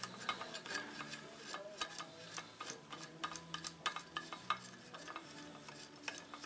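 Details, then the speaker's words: Husqvarna 576XP chainsaw crankshaft turned slowly by hand during teardown: gritty, scratchy rolling with irregular clicks from a rough main bearing, so the crankcase needs splitting. "job that bearing's rough don't know if you can hear that so this case needs to be split anyway"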